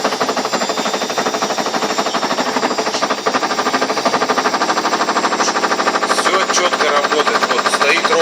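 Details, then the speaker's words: Knocking from an Ariston washing machine drum during the spin cycle, growing louder as the drum picks up speed; fast, steady knock about three times a second, cause unknown. "Даже я не знаю, что за стук подозрительный какой-то непонятный. Вот пошел громче, еще громче пошел, еще громче пошел, даже слышно."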